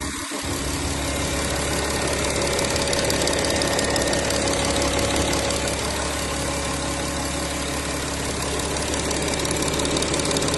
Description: My Audi Q7 2012 3.0TDI engine ticking/knocking noise, filmed both sides of the engine , 215k km.